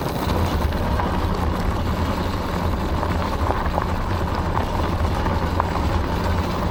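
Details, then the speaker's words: Aniioke A8 Pro Max dual-motor e-bike riding rough gravel after tightening the loose stem, adjusting shocks and adding foam pads where the controller hit the frame; steady motor hum and rumble, no clunks. Clunk fixed. "I'm going to call that a successful fix though I still May bottom out the shock if I hit something hard enough"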